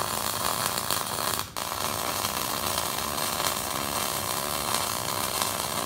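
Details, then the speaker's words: MIG welder wide open on 1/8 inch material, heat far too high: loud steady harsh hiss with little crackle through the pass, giving wide flat bead and large heat-affected zone likely to warp. "you get a really wide flat looking weld like that I have the welder wide open on E inch material"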